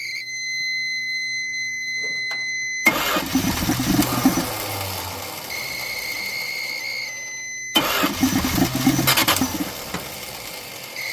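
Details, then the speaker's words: 1979 Dodge truck V8 that sat over 10 years with an engine problem, barely idling on fuel of unknown quality and blowing black smoke: quiet, then ragged sharp pops spitting back through the carburetor. Carburetor backfire; idle mixture screws to be adjusted. "It backfires something fierce too. Not. Play with those idle mixture screws here in a second. Blowing out the carburetor more than it's blowing in."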